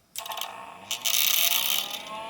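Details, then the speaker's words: LaPine Titan 32 MB RLL hard drive (615 cylinders, four heads, stepper motor) on spin-up: a harsh ratcheting rattle with rising whirr that varies each start and is intermittent. Something inside is suspected loose, not confirmed. "wow sounds like there's something loose there when this thing first starts up and every time i spin it up it it's a little bit different"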